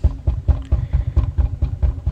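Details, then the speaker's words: Lincoln MKZ driven at about 2 mph then faster, owner reported front noise: heavy rhythmic thumping about four times a second tied to shaft rotation, suddenly worsening; failed drive shaft support bearing. "go faster [Music] Wow this sounds horrible [Music] does anyone drive like this I mean it's like alright it instantly got worse I don't know if it just like completely broke whatever the heck's going on I think it's like a drive shaft or something"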